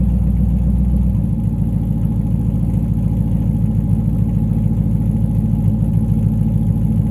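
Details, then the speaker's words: C5 Corvette Z06 V8 with upgraded exhaust: catches after a second, settles into deep, even burble with steady firing pulses, no knocks; more sports-car sound but not too loud. Normal, healthy idle. "And there she is. That sounds more like a traditional or a sports car, right? It gives it a little bit more sound. It's not too loud."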